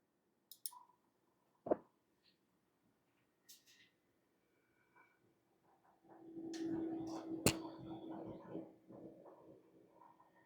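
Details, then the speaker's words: Gigabyte computer power supply, quiet while game paused, then a rapid irregular crackling tick with steady buzz once the game resumes under load; owner unsure if coil whine, likens it to a hard drive. "So that's the can't even I don't know if it's coil wine. or what? But that's the noise that I'm getting from my power supply."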